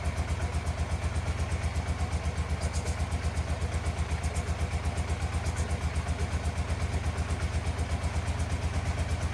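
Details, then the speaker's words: 1987 Yamaha FZR 1000 Genesis with cleaned carbs, not yet warmed up, weak battery: steady slow thumping idle about 160 pulses a minute, even but lazy; owner feels idle needs to be set higher. "Like needs to run a little faster than that, but overall I feel like the idle needs to be a little higher."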